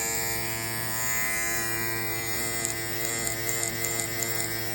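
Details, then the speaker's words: Babyliss Low Pro clipper after spring reinstalled, fully cleaned then freshly oiled with a few drops: steady, even high buzz, no rattle or catching, sounds really smooth; more drops may smooth it further; normal running. "sounds really smooth. And this is just, sometimes you might want to put just a couple more drops in just to help it smoothen out."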